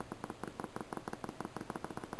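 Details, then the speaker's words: Speaker paired with a Sansui FR-1080 turntable system, tested by scratching its wires on a 1.5 V battery before hookup: crisp little crackles in quick pairs, showing the speaker is good, neither open nor shorted. "hear that that way you know the speaker is good it's not open or shorted and you do that on both before you hook it up"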